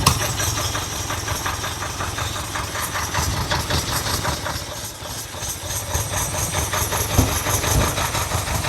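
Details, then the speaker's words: 1979 Ferrari 308, first start, cold on choke: lumpy, uneven idle with spitting pops, spitting back out of both back carbs, won't take throttle; owner says oil must be cleaned out. "It won't take any throttle. Nope."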